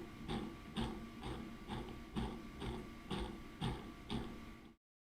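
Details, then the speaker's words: FPV drone motor whirs with a steady tone and a harsh, rough grinding rasp pulsing about twice a second; the motor bearing is totally worn and sloppy. "Oh boy, what the hell is that noise? Good God. That bearing is totally annihilated."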